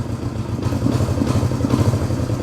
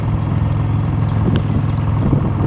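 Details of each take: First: 1971 Honda CB350 twin, said by a previous owner to have low compression: lumpy idle whose beat shifts unevenly as the throttle is worked, one carburetor not moving with the other; throttle uneven, carburetors unsynchronised. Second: 1971 Honda CB350 twin on stock pipes, running: deep, steady exhaust burble with even beat, no misses or mechanical clatter; runs healthy.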